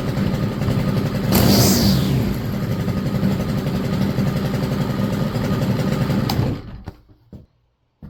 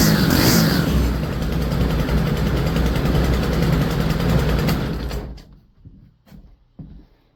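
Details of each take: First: STIHL FS 100RX trimmer, long-sitting, after clutch replacement: small two-stroke buzzes at a steady fast idle with a brief rev early, then shuts off; runs smooth and even. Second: Stihl FS 100RX trimmer that sat unused, with fresh fuel, new CMR6H plug and air filter: small four-stroke catches and runs rough about five seconds then dies; head spins while pulling the rope, so the clutch is stuck engaged and needs replacing.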